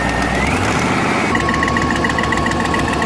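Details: 2001 GMC Sierra 1500 HD V8 idling before fitting a Dorman exhaust manifold clamp: fast ticking puff about three or four per second over the rumble. Exhaust manifold leak from factory manifold bolts snapped by thermal expansion; the clamp noticeably reduced the noise.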